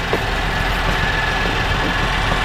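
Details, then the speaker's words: 2013 GMC Acadia, GM 3.6 V6, with a low oil pressure complaint: smooth at first, then after a few minutes a rough idle with a loose, fast rattling clatter; suspected timing chain rattle, chain to be replaced. "blowback it sounds like the infamous timing chain rattle okay um all right guys guys so we're going to replace the timing chain that's over here"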